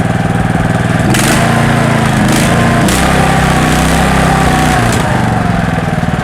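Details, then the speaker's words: Loncin LC192F petrol small engine, about 20 hp, 4100 rpm, 95 petrol, started with choke then choke opened: steady, even low chug with no knocks or vibration; running normally. "після цього заслонку ховається двигун працює рівно без вібрацій"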